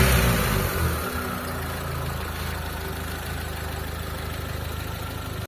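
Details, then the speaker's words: Car after carburettor tuning: engine blips up cleanly, settles into smooth even quiet idle, no misses or stumbles; normal revving. "anan yan mga boss walang palag yung makina natin tapos ayan umaandar yan oh umaandar"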